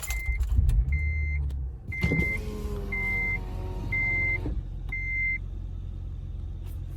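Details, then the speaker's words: Acura TL after replacing the cylinder 1 spark plug to cure a misfire, shaking and power loss: chime, brief starter whir, then the engine catches and settles into an even idle without stumbling; check engine light remains, believed from a transmission module (P1717). "but uh no it sounds sounds great"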